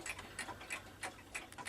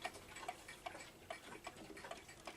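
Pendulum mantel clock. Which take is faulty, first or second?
second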